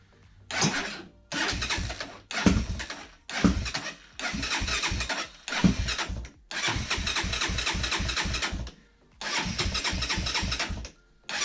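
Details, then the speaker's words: 2003 Honda 400EX single-cylinder quad after removing the cam's auto-decompression mechanism, suspected source of ticking; engine catches and runs in short throttle blips with a clean thump and no top-end ticking; carb still needs tuning; normal idle. "that ticking I don't even hear the thing tickets not to take this thing for a ride maybe it will tick I don't know"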